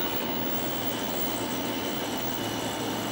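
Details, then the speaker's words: Packard Bell PB686 with a Samsung power supply at its first power-up. The hard drive gives a constant rough rushing noise with a thin high whine and clicks, sounding unhealthy; the cause is unclear. "That hard drive sounds like crap. just clicked."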